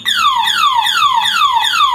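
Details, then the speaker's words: Motorcycle with a DIY anti-theft alarm (5-pin 12V relay, on-off switch, LED flasher, diodes): with the switch on and the ignition tampered with, a loud, steady falling siren sweep repeats about twice a second, all four turn signals flash, and the bike cannot be started. "Oke, jadi hasilnya seperti ini. Lampu sen keempat-empatnya menyala, depan belakang, dan buzzer berbunyi."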